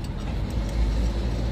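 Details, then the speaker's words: Toyota Revo pickup driving after universal joint/propeller shaft repair (center bearing first suspected): smooth low road rumble, no knocking, clunking or whine from underneath; front noise gone, confirmed by customer test drive. "lilipat ako dito sa pinanggagalingan talaga ng ingay sa harap kasi nag-iingay yan e Ayan mga moso at para sigurado magrest na kami ni customer siya na yung patulin natin pag ako kasi bias pero ingay Wala na Wala"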